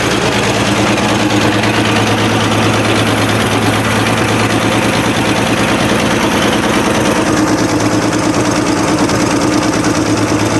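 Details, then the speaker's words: Abandoned 1965 Chevrolet C10, 292 inline-six with 3-speed manual, first start after sitting, carb rebuilt from a can: steady idle with a fast ticking puff about three per second, an exhaust leak right at the exhaust manifold. "I would say that's a good engine so definitely would say it's got an exhaust leak uh sounds like it's right here right out of the exhaust manifold"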